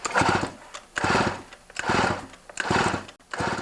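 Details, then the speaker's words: Stihl MS250 chainsaw, slightly harder to pull over, coil and clutch checked OK: recoil pulls in bursts about once a second, each with a rough rasping chatter from inside the engine; owner suspects bearings, cause unconfirmed before teardown. "got this ms250 from a friend of mine when you pull it over you can hear this weird noise inside the engine it is a bit harder to pull over not much hard but just a bit harder uh usually when it does that it's the bearings"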